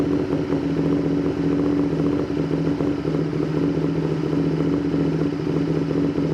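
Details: Honda VTR Firestorm V-twin during carb setup: steady idle with a flat, slightly lumpy drone. On vacuum gauges the front cylinder shows vacuum but the rear barely does, and it smells rich. The rear cylinder isn't pulling its weight; the carburettors are unbalanced.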